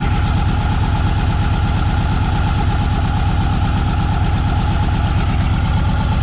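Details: Subaru EJ20 flat-four at idle during a coil check: uneven, lumpy idle with an irregular pulse around three beats a second over the rumble, pointing to a misfire; cause suspected, not confirmed.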